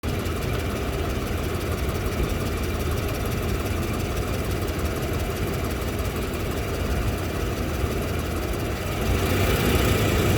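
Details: Toyota Land Cruiser 200 2UZ-FE, knock on the engine's left side at idle; loose irregular knocking about four times a second; valves, clutch checked, exhaust manifold welded and gasket replaced, cause still unknown.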